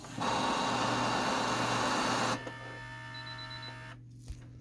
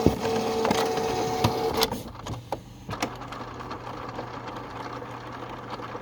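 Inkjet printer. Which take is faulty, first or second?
first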